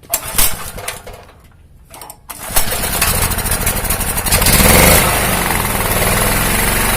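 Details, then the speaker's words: 2000W genset with a Honda GX160 engine, after its hunting idle was cured by replacing the faulty ignition coil and re-gapping it to the magnet. It cranks, catches and settles into a steady, even chug without surging. It now idles normally. "Oke teman-teman jadi Halo tesnya tidak naik-turun naik-turun lagi sudah normal"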